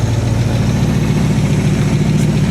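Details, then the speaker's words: Chevy V8 casket car, revived after sitting almost a year, idling after switching from 2-stroke mix to clean pump gas: deep even idle, steady beat, no misfires; smoke expected to clear, engine running well. "And it should smoke less after a few minutes of running because I was running 2-stroke and now that's, you know, pump gas. Throw this away. Seems to be running good."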